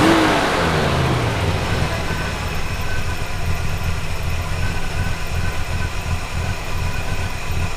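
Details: Classic Buick V8 on a Route 66 trip, after roadside repairs and reconnecting a forgotten PCV hose that caused a huge vacuum leak: drops from a brief rev into a steady, even idle with no misses; normal idle.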